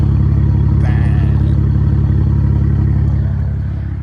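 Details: BMW 335i (E92) petrol engine at idle after new Bosch primary O2 sensors; deep uneven pulse stumbling about three times a second, a cylinder misfiring.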